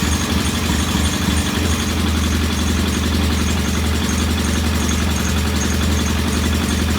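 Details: Norton P11 vintage British motorcycle twin, first start after carburetor fully disassembled and old dead gasoline replaced with fresh; loud idle with a low, slightly uneven thump that never settles; one carb's pilot jet not following adjustment, suspected partly clogged.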